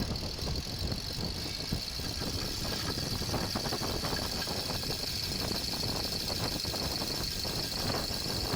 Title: 5 Blade ACDC inverter fan noise problem | acdc fan repair kaise kare | 12V ACDC fan